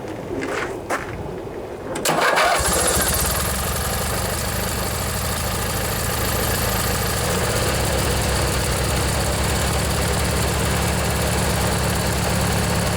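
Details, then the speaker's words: Old Montgomery Ward MTD riding mower, vintage Briggs & Stratton 16 hp flathead opposed twin, after replacing a worn starter motor; first start in one to two years: starter cranks briefly, catches within seconds, smooth even run, a little smoke, water from muffler. Normal running. "so a little bit of smoke not running too bad probably been two years since it's been started"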